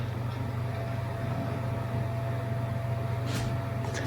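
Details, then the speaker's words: Power Mac G4 Sawtooth in a B&W G3 case, at first power-on: steady low buzzing hum with faint thin whine; sounds like one of the cooling fans buzzing, suspected, not confirmed. "sounds like one of the fans are buzzing I have to look at that"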